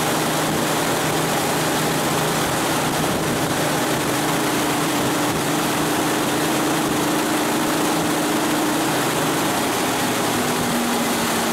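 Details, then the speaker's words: 1989 Chevy S10 long bed after A/C delete with new pulley, belt on water pump, power steering and alternator: steady even idle, smooth low hum, no ticks, squeals or rattles from belt; normal idle. "no tweaks no rattles i think we're good to go"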